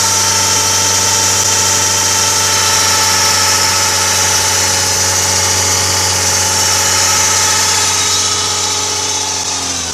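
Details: Audi A6 C6 2.0 TDI (engine BRF) at idle: steady metallic whirring whine traced to a worn deflection/guide pulley bearing (part 03G145276A), after alternator bearings, overrunning alternator pulley, serpentine belt and tensioner were replaced without curing it.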